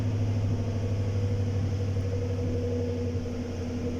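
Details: 2017 GMC Sierra: deep idle with an intermittent stumbling pulse. No engine codes; live data shows misfire counts on cylinder three coming and going. The fuel pump is replaced for the misfire, with injectors suspected next.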